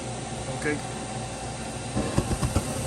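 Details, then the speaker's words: Furnace inducer motor, previously humming but not spinning with three-flash pressure switch code, after repair and power restored: steady, even, low hum with no rattle or scrape; runs quieter and smoother than before, heat restored. "man it's running quieter than this it's running smoother than it was before we got Heat man that motor is running super smooth"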